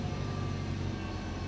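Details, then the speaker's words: Toyota RAV4 after repairing a no-crank no-start fault traced to worn starter motor carbon brushes: engine starts first try and idles smoothly with steady low hum, even pulses, no knocks; scan shows no engine codes, no check engine light. "So wala namang naging code sa makina So okay na to mga sir"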